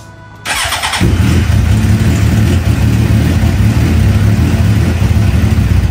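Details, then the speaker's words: 2009 Suzuki GSXR 750, start after new spark plugs and ignition coils: starter whirr, then a loud, lumpy, uneven idle. It now stays running but still runs rough; earlier it died when throttled. Cause not yet found. "after installed the new spark plugs and car packs the vehicle or the motorcycle was still experiencing the same issues he was having only that this time he actually stayed running but it did not sound good"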